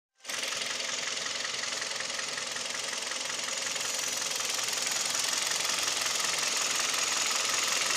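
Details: Kia/Hyundai G4KD Theta II petrol engine, recorded from inside the cabin: steady idle with fast, fairly even light tapping, two or three a second, plus vibration; owner suspects piston knock, also present at 1500 rpm.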